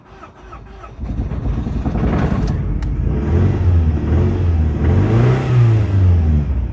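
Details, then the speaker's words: Ford Mondeo Mk3 petrol in neutral after carbon-fouled spark plugs removed: rough idle with misfire, speed surging and sagging, struggling to start and cutting out; codes P0301 and P0304 found earlier, no check engine light. "that didn't sound good and it didn't start try again it sounds awful but curiously there's no check engine light that's definitely misfiring"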